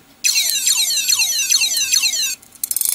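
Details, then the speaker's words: Hard drive believed from an old Sony Vaio laptop: shrill falling chirps repeat about twice a second, then cut into scattered clicks; drive stuck and distressed; abnormal hard drive noise. "what the heck I've never holy jeez I've never heard that before this sounds like an epic video game"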